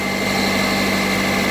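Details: Car idling during voltage-drop testing, charging 14.1 V at the battery with nothing on inside. Steady idle with a constant high-pitched whine and low hum that never change. Abnormal noise, source unknown.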